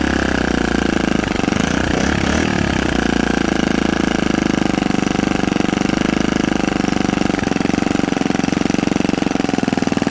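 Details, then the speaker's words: Predator 79cc single-cylinder minibike engine, governor removed, 22 lb springs, fresh valve lash, new carburetor spacer and linkage, first start on choke: a fast, rattly, surging uneven beat; rough running, and the carb still needs tuning. "bye all right guys we got a runner it might not be the best runner at this second but guys that's just some tuning"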